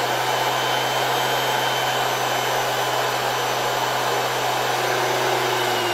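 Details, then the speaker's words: 1970 Zelmer 01 vacuum cleaner with East German Suhl motor type 1004.2/5, after reassembly: steady hum with a faint dry rushing rasp. The original bearings were greased but still have play, so they are worn. "Well, you will probably still hear these bearings, because we have already left the ones with some play, but at least they are greased and at least they are still the original bearings."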